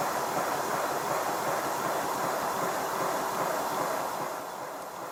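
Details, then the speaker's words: Simplex steam locomotive running with the blast nozzle removed: soft, blurred chuffs near 160 a minute under a steady hiss, and the whistle is gone. Runs weaker without the back pressure; blast nozzle identified as the whistle source. "You should be able to hear that it's not running quite as well as it does when it has a blast nozzle. The back pressure helps to cushion the moving components in the cylinder, but also with the blast nozzle removed, there's no longer that whistling noise."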